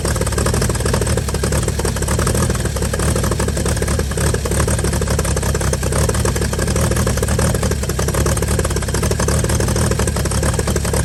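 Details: 1955 Chevy inline six truck revived after sitting about 30 years, solenoid from another vehicle, carburetor filled and leaking, just started: deep, steady, even rumble at one speed, no knocks, misses or hunting; normal idle.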